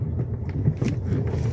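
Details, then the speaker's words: Fiat Argo HGT 1.8, 115,000 km, on a road test after a stabilizer-bar suspension noise fix, new heat exchanger, coolant, oils and filters: only a soft low rumble over a speed bump, with no knock or clunk from underneath. Gearbox shifts perfectly. No suspension clunk. "ó ó de boa tranquilo só o normal dele mesmo carro tá show de bola"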